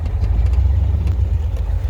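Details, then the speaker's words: 1996-or-earlier OBS Ford F-250 Windsor V8 after no-crank no-start fixed by tightening battery cables: deep steady rumble with even low pulse and no knocks or misses; starts and runs properly. "always remember to make sure your battery cables are tightened all the way so see you she starts up she runs"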